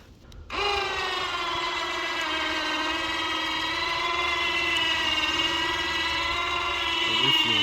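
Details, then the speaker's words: Badland 2500 ATV winch on a Yamaha Wolverine lifting the roughly 500 lb quad into a tree with the quad's engine off: steady high electric whine sagging and wavering under load; winch motor bogging, confirmed to be weak battery supply. "That noise you heard while it was getting lifted up into the tree where it sounded like it was struggling did turn out to just be the battery, because really you want the quad running to supply power, or as much power as possible, to the winch."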